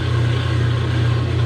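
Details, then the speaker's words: Kenmore 90 series top-load washer after replacing a broken motor coupler, tipped against the wall; steady low motor hum in spin but the tub does not turn, so another fault lies beyond the coupler. "i have the washer running leaning against the wall and i want to see what's going on i hear something spinning but the tub isn't turning"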